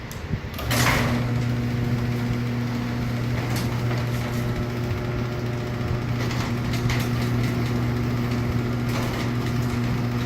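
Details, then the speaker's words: Liftmaster opener fitted to a shop door with torsion spring and torsion cables, heard from directly underneath the unit: low, steady, smooth motor hum with no grinding, banging or squeal; normal quiet operation. "So I'm standing right underneath the machine. I want you guys to hear how quiet all this is."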